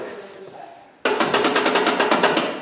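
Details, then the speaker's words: Lincoln Town Car with gas door that would not open, after a wiring repair: pressing the release button gives a sharp burst of about a dozen rapid clicks over a second and a half; fuel door actuator works normally. "well I hear it so that means that this plan is gonna work"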